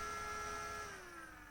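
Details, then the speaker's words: Synology DS118 NAS, powered on: small fan with steady whine and faint buzzy rattle, pitch falling as it spins down; moves enough air for cooling but rattles and is noisy. "It's a little noisy. It runs, moves quite a bit of air, so the cooling is sufficient. There is a rattle from the fan. I'm not entirely happy about the noise."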